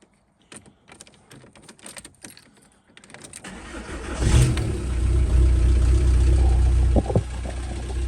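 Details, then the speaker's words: VW Caddy 1.9 SDI diesel at about 4°C, first start after fitting a replacement ECU: clatter, then cranks, catches and settles into a steady even idle; runs fine. "have a diesel we have a throttle I'm not sure if this a success but it smells like it for sure"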